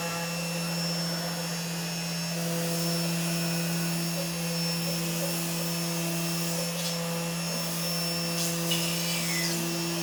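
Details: CNC machine running Mach3 after a noise problem was solved by fitting an opto-isolated breakout board: steady high spindle whine with a constant low hum and light intermittent cutting texture; smooth, even normal running.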